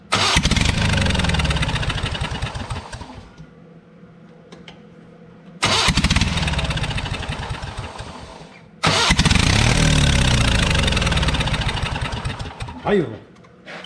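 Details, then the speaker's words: Abandoned Spider forklift with a carburetor being revived: three crank-and-catch attempts that fire and run briefly, then fade within seconds. It only stays running while the key is held on; the owner suspects a faulty ignition or coil circuit. "there's definitely something going on here it only stays running if my keys on foreign"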